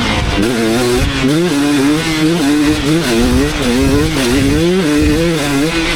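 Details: 2019 KTM 250SX two-stroke with Lectron Billetron 38 Pro carb tuned: crisp note rising and falling cleanly, no pinging or hanging revs, well jetted; minor detonation only when hot at session end.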